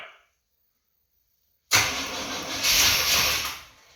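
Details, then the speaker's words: 1989 Chevrolet Suburban, 350 TBI V8 with 700R4, first start after sitting 15 years, a little gas poured down the throttle body: sudden rough two-second burst of firing that never settles into an idle; engine trying to start but won't keep running. "Hey, she's wanting to come alive."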